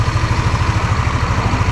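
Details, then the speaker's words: Yamaha Aerox scooter after engine teardown and repair of a sudden clattering ("klotok") noise, started up: even, steady low thump at idle with no knock or clatter on top; the engine runs smooth and healthy again. "sekarang mesinnya udah halus sekarang mesinnya sudah bagus kembali"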